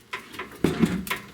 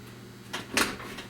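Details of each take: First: popping like that that just mean that this hinge needs to be greased up guys so if your door is popping guys don't don't let it you know keep messing around and staying like that Second: A crisp single click as the latch catches cleanly, then quiet: the car door, freshly rehung after bodywork, latches properly, though a popping hinge needs greasing.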